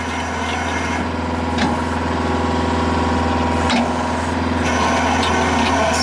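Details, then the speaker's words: Skid steer driving a 12-inch rock-bit auger into rocky ground, still in dirt; steady diesel drone holding under load as the auger churns evenly through soft soil, no rock chatter yet; auger boring through soil. "That is a 12-inch rock bit. That's all dirt right there. Still hitting just dirt."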